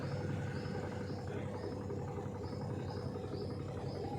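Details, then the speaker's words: Samsung 6.2 kg top-load fully automatic washer, bought 2017 with no issues, in its final spin mode: an even, steady hum with a soft recurring swish under a second apart, no knocking or scraping; a normal spin. "अभी आप सुन सकते हैं spin mode में इसका noise कैसा है। तो आप लोगों को डाउट रहता है कि कैसा साउंड रहता है इस वॉशिंग मशीन में, तो आप लोग सुनिए इसका साउंड कैसा है।"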